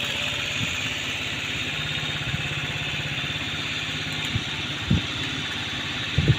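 Even single-cylinder putter at idle with a couple of small throttle blips; fires cleanly and settles back smoothly.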